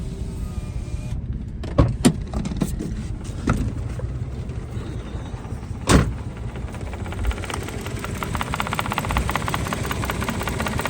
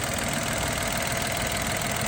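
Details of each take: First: 2014 three-cylinder petrol car idling lumpy with a low shaking rumble and vibration; code P0350 returns after clearing, and only two cylinders work because the middle cylinder's ignition coil is not working. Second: 2014 Daihatsu Mira three-cylinder petrol idling steadily and evenly with all coils working, after repair of a misfire in the middle cylinder (P0350 coil fault); plug had carbon, possibly from water getting in.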